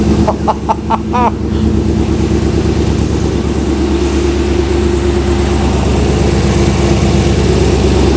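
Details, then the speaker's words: Ultima RS kit car, 6.2 litre LS3 V8, very first start after two-year build, in a closed garage: brief cranking, catches first try, deep steady even idle with no misses; normal first start. "success on the first turn of the key now that's what I call a result don't you sound nice"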